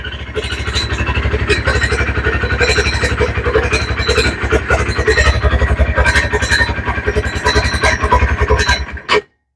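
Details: 2019 Textron Alterra 300cc quad idling, microphone on the owner's shirt: harsh, irregular high screeching from under the CVT clutch cover over the low thump; primary clutch outer sheave splines worn bald.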